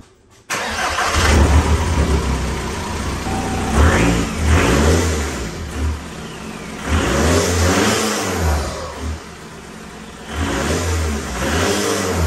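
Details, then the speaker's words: 2002 VW Jetta, 1.9 L ALH turbodiesel with new turbo and homemade cold air intake: cranks and catches promptly, blips up a few times and settles to steady diesel clatter; normal start and idle. "so I don't know if you ever heard an alh turbo before but I'll give you a little taste this is how it sounds"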